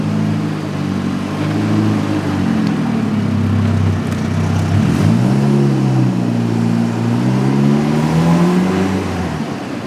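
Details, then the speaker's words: Supercharged Chevy Cobalt SS-based DF Goblin kit car while driving, mic behind windshield: smooth, even engine drone rising and falling cleanly with throttle, no knocks or misses; engine healthy, issue is the clutch master cylinder bleeding down. "it sounds fine it runs really well it's just a stupid clunch"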